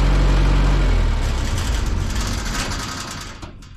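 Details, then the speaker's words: Auction-bought diesel engine-driven welder that fell from a crane, cold start without glow plugs after sitting one to two weeks: deep rumble catches at once and settles into a steady beat; cold diesel starting and running normally before warm-up and oil and fuel filter change. "no glow plugs cold start contact"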